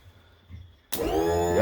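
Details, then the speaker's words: Vintage barn-find boat: after a click, trim motor spins up at once into a steady, even whine as trim goes up via newly wired solenoid circuit; working properly. "it's going to apply power here it's going to close the circuit and we should get some noise here so let's see what happens our trim should go up"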